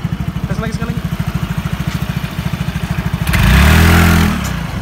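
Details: Yamaha X-Ride/Mio J 115cc scooter with weak pull and poor hill climbing, after repair: even single-cylinder idle putt about three beats a second, then a clean smooth rev without slip or rattle; normal CVT operation.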